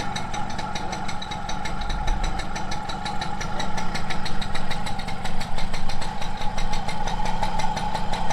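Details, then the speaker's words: 1987 MBK 51 Magnum liquid-cooled two-stroke moped idling fast after starting on choke: dry, busy metallic chatter over the buzz; clutch noise, its balls beginning to rub, common on these mopeds. "Voilà, il y a l'embrayage qui fait du bruit là, comme toutes les motomécanes. Hein. Ouais. Les billes qui commencent à frotter."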